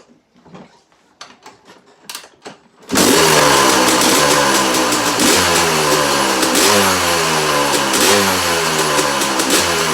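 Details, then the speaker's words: 2001 Yamaha YZ250 two-stroke motocross bike, first start, about four kicks without choke (choke won't stay up): catches into a crisp, even run with steady crackle and no misses; starts easily, runs normally. "engine sounds really sweet and it starts up really easy"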